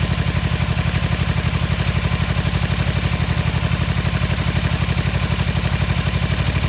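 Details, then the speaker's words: 1983 Ducati MHR bevel-drive twin, 40mm Dellorto carburettors during balancing at relatively high idle: lumpy, loping idle with heavy uneven beat around four pulses a second, like one cylinder barely firing; carbs badly out of balance. "when we had it idling relatively high you can hear it sound like it was running on one and I played with that idle screw and all sudden came right up"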